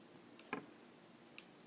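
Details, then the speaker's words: OmniPod insulin pump after filling: PDM communicating with the pod, two faint soft ticks about a second apart in a quiet room, normal clicking as priming starts (takes a couple minutes). "Now, my PDM is talking to the insulin pump. You can hear it clicking."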